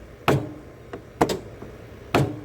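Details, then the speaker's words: Zero-turn mower with a newly installed PTO clutch, engaged by pulling the PTO button; three crisp metallic clicks about a second apart as the electromagnet pulls in to drive the blade belt: normal clutch engagement. "that's a electromagnet when you hear that click it's pulling the magnet up and holding it so that it will Spin and allow the belt to spin and turn your blades"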